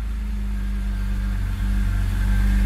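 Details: E46 BMW 330i M54B30 with M50 intake, ICV delete and N52 throttle body, after reflashing the ECU to fix a checksum crank no start: catches straight away and settles into a smooth, even low idle with no knocks or misses.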